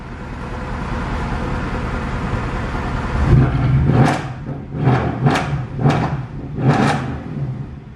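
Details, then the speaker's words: Salvage-auction Mercedes C63 AMG V8, supposedly flood-damaged, five minutes after start: barely audible tick-over then five clean throttle blips; idles and revs normally, though owner suspects electrical issues such as the voltage regulator. "Well, 5 minutes in, nothing yet, but it is mad how absolutely quiet it sounds here. Like barely anything on tick over, and then"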